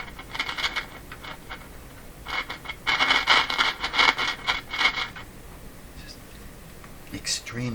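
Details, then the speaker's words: RCA Victor BP-10A portable tube radio with a suspected short in the A-battery circuit: irregular bursts of scratchy crackle come and go over a quiet set, suspected to come from an intermittent battery connection. "is it is that staticky from the short coming and going on the battery connection"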